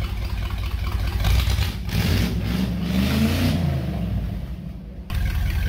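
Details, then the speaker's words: 1977 Dodge B200 van, 318 V8 with TorqueFlite 727 automatic, pulled from a junkyard and revived, warming up to test the cooling system. Deep rumble rises and falls smoothly through blips, no knock or misfire, running like a sewing machine. Normal running. "is running like a sewing machine and we're out of gas"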